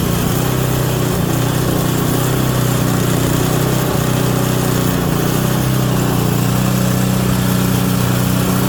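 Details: Craftsman Series 2 snowblower bought at auction, small single engine with points ignition, run after reassembly and continuity check: steady, even low putter holding constant speed with no misses or surging; healthy normal idle.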